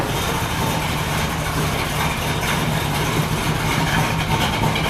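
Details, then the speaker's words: 383 Chevy V8 in a 1964 El Camino, first start with temporary paper air filter: even, deep lumpy idle with a loud throaty exhaust, noisier than hoped, no knocks or ticks; normal idle. "now it is a little noisier than I was hoping for but that's okay got a nice throaty sound to it"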